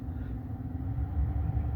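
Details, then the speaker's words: 2013 Ford F150 heater blower after refitting, blades shifted off the motor base: low, steady airy rumble, quiet on the second step, starting to drum from the fourth step; imbalance persists. "Quiet in the second step. Third step, fourth step starts drumming."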